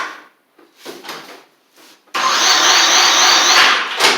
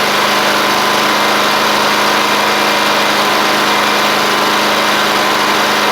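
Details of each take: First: Murray 24-inch riding mower, Briggs engine with water in the fuel and rust in the engine, new battery; starter spins it over with an even churn, about four pulses a second, never firing; cranks but won't run, owner plans to drain the fuel and clean the carburetor. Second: Murray 24-inch riding mower, Briggs engine after water in fuel and rust, new carburetor fitted: fast even run with dense buzzy drone, no misses or knocks; running fine now.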